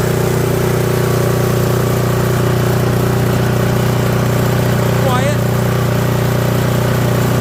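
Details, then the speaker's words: Toro 721R single-stage snowblower started after sitting unused for years, fresh fuel with stabilizer added: steady, even low drone with no misses, knocks or rattles; small engine running smooth, normal running. "Sounds good. All right. Well, I think we're ready."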